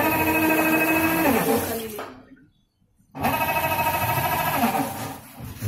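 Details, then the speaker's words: Midea MWMTL062M31 top-load washing machine, drum filled with water: loud whining hum with a rough grinding edge that cuts out and returns; customer reports noise in wash and spin; gearbox (main assembly) found faulty, needs replacing. "नहीं आ भाई, इसका गियरबॉक्स खराब है। Gearbox change करना पड़ेगा।"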